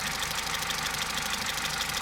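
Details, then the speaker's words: Opel/Vauxhall Meriva 1.4 Ecotec petrol at about 236,000 km, with the timing chain recently replaced and its tension checked. A light, sharp tick of about six a second sits over a steady idle, a diesel-like tapping attributed to intake valve noise. "That is intake valve sound. Apparently all of these engines have that after certain kilometers put into them. It is annoying, that ticking sound, but as long as these arms don't break off and you'll always get them moving, then you will get your power."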